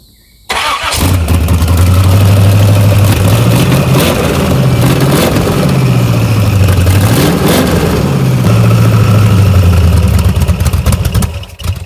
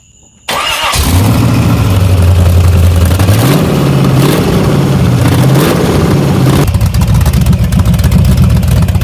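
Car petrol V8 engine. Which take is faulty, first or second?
first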